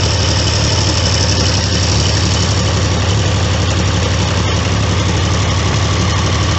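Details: Triumph T150V triple after top-end rebuild (heads and cylinders off for oil leaks), started second kick: steady even three-cylinder beat at constant idle, no miss or knock; sounds healthy.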